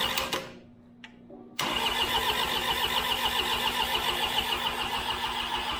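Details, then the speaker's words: New Holland skid steer after an engine rebuild: cranks, then the diesel catches with a steady fast clatter, stumbles and dies shortly after; owner thinks it ran out of fuel. "thank you sounds good I think it ran out of fuel"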